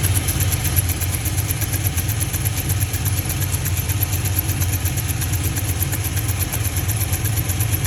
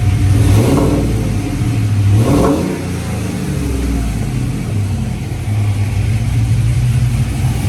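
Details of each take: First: GMC V8 truck idling with a sharp steady tick mimicking a lifter tick; cylinder 2 direct injector seal melted and blown out, leaking compression. Fixed with a new injector and seals. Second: GMC truck after repair: blown, melted cylinder 2 direct-injector seals leaked compression, mimicking lifter tick; injector and seals replaced. Deep, even revving through blips with no ticking left, engine healthy.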